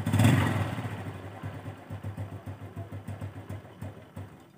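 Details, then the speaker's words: Honda Revo Absolute 110 motorcycle after clutch rubber dampers and clutch repair fixed a rattling engine, fresh oil added: steady low putter about 220 beats a minute, smooth and even, no clatter or rattle; healthy idle. "Suaranya ya enak kan guys. Asli guys, gak ada kretek-kretek lagi."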